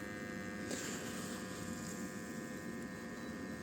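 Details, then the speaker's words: Leak detection with tracer gas injected at the meter: bell pressed to the ground, a small suction pump draws air from the soil with a faint, steady electric buzz, no surging or rattling; pump working normally. "J'actionne l'appareil. On doit entendre le bruit. Une petite pompe qui se met en route. Et puis ça vient aspirer l'air du sol."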